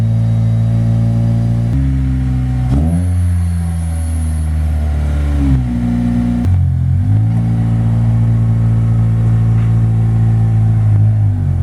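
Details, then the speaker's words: Acura RSX Type S with a new full Spec D cat-back exhaust, joined where it was cut and held by 2 of 3 bolts, so a leak is possible; deep, clean drone rising and falling with rev blips, no rasp; normal exhaust note. "Honestly, I like it a lot. It's really deep toned. It doesn't have a lot of ricey sound, if that makes sense. I was expecting it to sound a lot more ricier for what it is."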